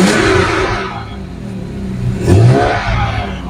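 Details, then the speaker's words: Jaguar S-Type 3.0 V6 after a smoke test and inlet manifold flap motor repair, previously showing lean bank 1/2 and catalyst efficiency codes with power cut under hard acceleration; fires up with a brief flare, then a smooth steady idle with one clean blip. "okay it's running now I'm going to just do a Diagnostics on it to get rid of the engine management lights and everything"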